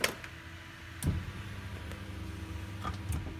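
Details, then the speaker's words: Honda Civic at key-on after the main relay (part IC17, fails when cold) starts working: a faint steady low hum under a few clicks as the fuel pump primes normally. "So now, every time I turn the car off, I'm gonna turn it back on. Fuel pump primes, everything's good."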